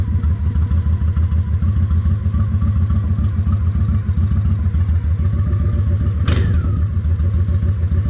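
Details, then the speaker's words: Honda 750 ACE Deluxe V-twin after refitting the air filter, idle raised slightly: steady low idle about 200 beats a minute, slightly uneven but settled, brief sharp noise midway; close to right. "Okay, that sounds pretty close. It's not exact, but I'll worry about getting exact later."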